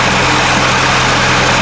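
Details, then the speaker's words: Porsche Macan after the alternator was fitted with a replacement bearing: smooth, quiet idle with no alternator whine over the steady engine hum; fixed. "So, he sorted out the alternator for free, just labor. And now, you can barely hear the Porsche Macan when it's idling."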